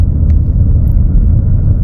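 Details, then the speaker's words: 2018 Ford F-150 4WD with 5.0L Coyote V8: steady low roar at slow road speed in two-wheel drive, sounding like a bad wheel bearing; noise disappears when 4WD is engaged. Failing integrated wheel end (IWE), to be replaced. "just going nice and slow you can hear what sounds like a will bearing roaring"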